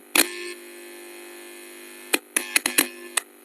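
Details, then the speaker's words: Maxon 4.1 home theatre amplifier under repair, mic at the speaker while touching the amplifier IC input pin: a few sharp clicks, then a steady buzzing hum, showing the IC is working and passing signal. "आप सुन पा रहे होंगे। इसमें humming आती है जो सही IC रहती"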